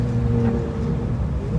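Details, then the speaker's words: 1959 Lincoln automatic transmission on test drive around 17 mph: engine flares and climbs while car barely gains speed, low shudder through the whole car, low on power; transmission slipping, cause unconfirmed. "okay so we had to go down the street to turn around and I mean you can tell it's slipping look at that shutter that's through the whole car"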